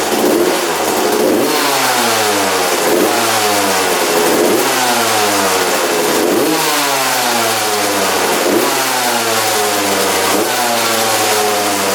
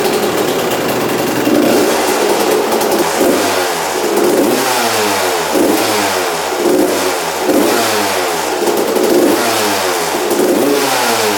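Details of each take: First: 1993 Suzuki RM125 two-stroke dirt bike, freshly rebuilt, fouling plugs: repeated throttle blips, revs sagging back lazily to a burbly idle; crisper with fuel tap off, owner suspects carburetor running very rich. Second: 1993/94 Suzuki RM125 two-stroke after carb returned to stock (55 pilot jet, air screw 1.5 turns out): crisp repeated revs, clean pickup, no stumble or sputter, idles; normal running.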